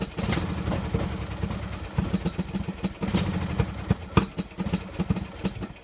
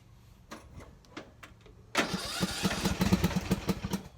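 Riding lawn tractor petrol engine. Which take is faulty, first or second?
first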